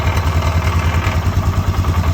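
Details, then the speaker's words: 2008 Polaris Sportsman 500 HO EFI with random high revs and low idle stalling: lumpy hunting idle pulsing about five times a second; both intake manifold bolts missing, intake pulling away from head, leaking air. "Both of those bolts are missing, so there is nothing actually holding the intake onto the motor. It's just sitting there, so it's literally just pulling away from the head, moving all around."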